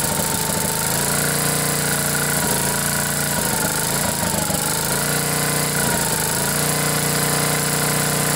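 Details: 10 hp Briggs & Stratton generator engine after blown head gasket replaced and head bolts torqued to 165 in-lb, choke held open by hand: catches and runs at steady buzzy governed speed with brief dips and recoveries; normal running.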